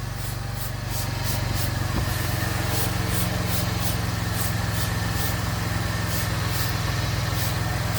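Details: Gen2 Chevrolet Traverse idling after repairing an exhaust leak between resonator and muffler with new nuts, bolts and gasket: steady idle with light high tick two or three times a second, no exhaust puffing; normal.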